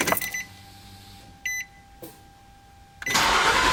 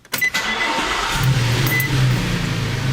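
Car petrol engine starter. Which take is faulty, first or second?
second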